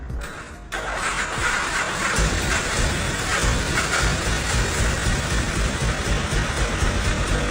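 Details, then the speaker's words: 1987 Changjiang 750 sidecar motorcycle with a boxer engine, left unused over ten years, started after replacing worn, poorly contacting breaker points. After a brief crank it fires and runs at a steady, even idle with no extra noise: a normal start. "三十多年過去了，聽就知道了。沒有額外噪音。怠速聽起來也很穩定。"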